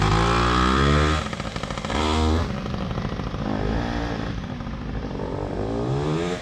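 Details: PW80 two-stroke minibike, repaired, with a new rear tire and tube, described as pretty hot: crisp buzz revving up and settling back, picking up cleanly each time with no misfire or rattle; healthy.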